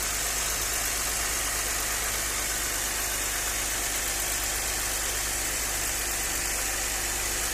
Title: Audi 100 c4 2.6, стук двигателя.